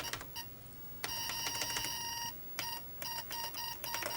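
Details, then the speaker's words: Early-1990s Microbyte HC120 XT-clone computer booting just after repairs, with a noisy hard drive. One long beep, then short beeps about three a second. Stuck key or keyboard fault. "We seem to have a stuck key. Ah. No, the keyboard is just doing bizarre things."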